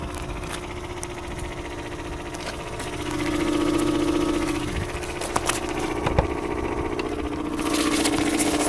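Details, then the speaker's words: 2003 Mazda Protege5 at idle with the hood open: faint tone with irregular light ticks and knocks, seemingly from the middle of the engine. It drives normally and leaks a drop of oil a day; owner suspects the alternator bearing. "everyone, this is my 03 Mazda Protege 5, and it sounds like something's knocking in it or not right. It drives absolutely the same, and yeah."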